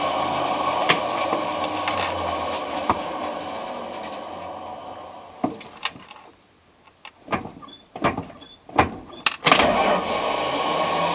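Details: Chrysler Slant 6 starter cranking with harsh gritty whirring and sharp clunks between attempts, no engine catch; gears sound stripped, a bad starter.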